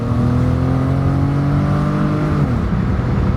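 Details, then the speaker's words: Chevy ex-police car, V8, under acceleration: a deep, loud exhaust roar climbs and then shifts smoothly. The muffler was blown out when the owner tried making flames come out of the exhaust. "he wanted flames to come out of this engine but he blew the muffler out so he stopped that idea so here we go we're in the next cop car let's see does it go makes a lot of noise now it's going"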